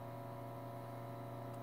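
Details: 1942 Zenith 7S682 radio-phono record player drive motor on variac, spinning healthily at about 40–100 volts despite soft sticky rubber and cracked idler wheel; smooth even low hum, no scraping, motor good.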